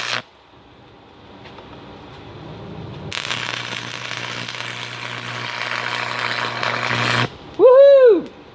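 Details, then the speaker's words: Free Miller Thunderbolt 225 stick welder, acquired after Hurricane Harvey, tested by a first-time arc welder. About four seconds of steady frying crackle over a low mains hum, then stop: stable arc, healthy welder. "Well, it works. Catches every damn thing on fire."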